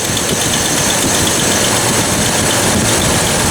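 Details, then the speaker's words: Jeep 4.0 idling after exhaust manifold bolts retightened, exhaust leak gone: faint light top-end ticking in time with engine from under valve cover; owner suspects a lifter ticking, not confirmed. "no more exhaust leak I hear a little ticking and that's under the valve cover there so I got to want to lift one of the lifters is ticking which is pretty common on these 4 lers"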